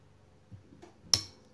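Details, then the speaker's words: New SL3 solenoid for the U250E transmission in a 2009 Pontiac Vibe, bench-tested on a 9-volt battery: a single crisp click and the solenoid moves. The old solenoid gave no click and caused a 3rd-to-4th shift surge and shake. "You hear the audible click. And you can see the solenoid move."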